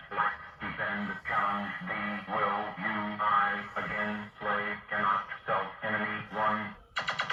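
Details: Williams System 6/7 pinball sound board, powered on a bench rig with a volume pot after swapping in Black Knight's board (6810 dead and socketed, ROM sockets replaced), plays a looping synth tune with even beat and clean tones, no dropouts or distortion; normal output.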